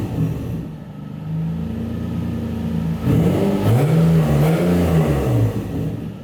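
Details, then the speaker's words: Turbo Nissan 350Z (VQ engine), non-recirculated wastegate, free revs: raspy chuffing edge over the loud exhaust note as exhaust escapes through the wastegate, whose valve seat is missing so the valve cannot seal. "Well, so the exhaust is just coming out the wastegate. But I was like, ah, that's weird. And I moved on."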